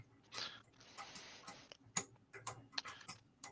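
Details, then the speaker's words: Deliberately bad electrical connection under live vacuum load, contacts pitted, wire warming in hand: sharp uneven crackles and snaps in scattered bursts over near silence; arcing at a loose connection. "So, just okay, so we know, so we got some arcing."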